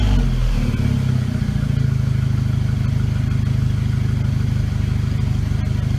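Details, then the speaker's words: VW GTI turbo four after forged-internals rebuild, start with new downpipe installed: brief blip then smooth, even low idle around 750 rpm with steady exhaust note; check engine light on for a valve broken during reassembly; normal idle. "but I mean she's idling good keep right at 750 work she should be sounds good to me"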